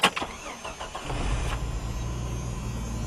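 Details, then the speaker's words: Jeep Wrangler YJ start, owner unsure if normal: starter churns briefly, engine catches at once and settles into an even steady idle with no knocks or misses; normal engine start. "feel like it starts up fine, but if you guys think that that's abnormal, then let me know."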